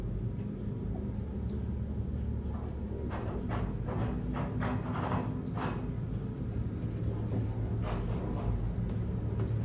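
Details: Elevator car moving: low rumble with uneven knocks as worn counterweight guide shoe liners rattle in the rails, before the liners are replaced; a breaker had tripped.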